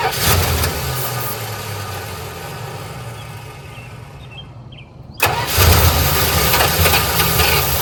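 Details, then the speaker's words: 1985 Dodge Ram D150 Prospector, 318 engine, 70,000 miles on the odometer, sat a year or two: the starter cranks steadily but the engine never catches; the owner suspects a lost 12 V ignition supply. "So I don't know if I'm losing 12 volts whenever I disconnect this. There's a good possibility. I'm losing 12 volts after I disconnect this lead."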